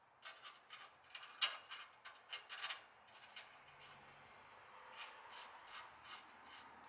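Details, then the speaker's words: 1966 Plymouth Fury drum brake with new shoes, drum spun by hand before adjustment: a soft scraping swish repeating each turn; brake shoes lightly rubbing the drum. "okay so i'm going to throw this drum on and show you all the difference of this noise"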